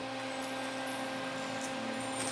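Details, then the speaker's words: 1984 Sony CDP-40 CD player after repair of the tray/clamp mechanism, powered on: quiet steady motor hum with faint ticks as the disc loads and spins up smoothly, then plays music; normal loading and spin-up. "okay power on this trays open play it loads up just spins"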